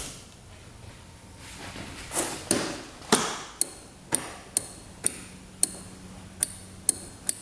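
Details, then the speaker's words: 2005 Yamaha Grizzly 660 ATV, non-running, mouse nest found, fresh battery connected: nothing lights up, sharp single clicks about every half second as key is cycled, no starter spin; owner suspects a bad relay in the starting circuit. "So, we're not getting power, I don't think, to the ignition. I can hear something clicking over here. Almost like one of the relays is bad."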